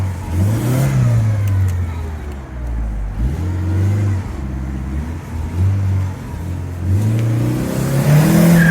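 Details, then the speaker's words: Rover 820 Turbo Vitesse coupe, manual, started after sitting about two years; engine pulls hard with a rough, puffing rasp on the exhaust note as revs climb under load. Exhaust leak, exhaust blowing. "I do remember this 820 being pretty nippy, but considering it's been sat for a while, that exhaust is blowing a little bit. It does sound quite sporty, but I'm sure it's not supposed to sound like that."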